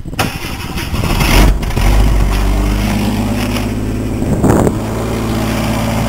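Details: Truck after fitting new muffler on metal mount, tailpipe not yet added: catches after a short crank and settles into a steady, even, much quieter idle with no rasp or drone; normal exhaust.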